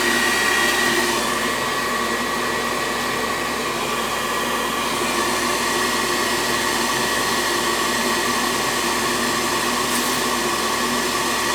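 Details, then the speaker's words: 90+ propane gas furnace that fired once then locked out, second cycle test: steady, even burner roar with no surging or cutting out; burners lit and staying on, gas pressure not adjusted. "Now you're comfortable with this being the right pressure or whatever gas flow it is? Well, it's firing."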